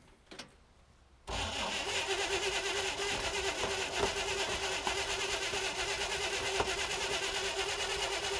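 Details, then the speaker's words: 1960 Chevrolet El Camino unrun since 1998, throttle held open; steady cranking about three turns a second that slows but never fires, and a lack of spark is suspected. Oil pressure is now up. "Okay, hold on. I think it's got ignition. It's slowed down. Okay. Okay. All right, let's check spark. Maybe we don't have it."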